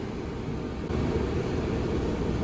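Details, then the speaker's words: RV furnace on the bench after removal, cleaning out fuzz and control board testing: steady even blower rush stepping up slightly as it lights, no rattles or surging, warm air output; running normally. "okay so it clicked on didn't hear it click on but my goodness it's really warm coming around right here"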